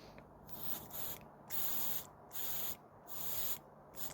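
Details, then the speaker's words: 1967 Triumph Spitfire MK3 carburetor, float bowl open and dry: blowing through the fuel inlet while working the float, a breathy hiss cuts cleanly on and off about once a second as the needle lifts and seats; the float valve behaves normally. "There you go. You can hear that working. All I'm doing there is blowing through the fuel inlet and opening and closing the valve there. And that is behaving as it should."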